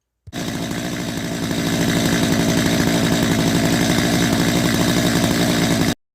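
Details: Gasoline two-stroke chainsaw started with choke open after draining fuel and drying a flooded plug: steady high buzzing note, holding even without stumbling or dying; running cleanly after the hard-start fix.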